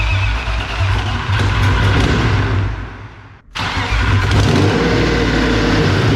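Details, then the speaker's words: BMW E36 with a hundred-some-thousand-mile engine at first start, no exhaust fitted: a very loud, raw bark rising and falling with the throttle, revs sagging then recovering. Poor throttle response; the owner suspects the intake area or an unchecked air box. "different reasons number one it's so loud that i can't actually hear how healthy the engine is all i can hear is the exhaust number two it's not driving i mean it literally sounds like a freaking big block like it is it is ungodly loud"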